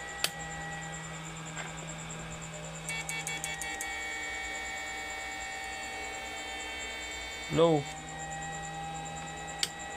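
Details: Repaired 1000 W inverter (6 MOSFETs, 3 A), tested under load: steady low transformer hum with faint high whine, no crackle or stutter; carrying load cleanly after repair.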